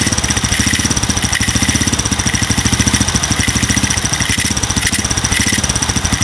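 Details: Single-cylinder motorcycle fitted with an RVN 53 mm cylinder block, racing camshaft and tappets, at idle: fast, even, light trik-trik valve-like ticking that stays even with tight valve clearance, milder than loose valves and not a cam knock.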